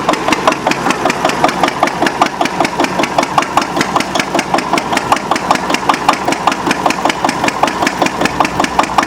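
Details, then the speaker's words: Antique Witte 12 hp single-cylinder diesel genset, 8 kW generator: even unhurried beat under two firings a second, crisp and evenly spaced; normal governed no-load operating speed. "You see, it's actually running pretty fast. It's going to slow down. That's operating speed right there."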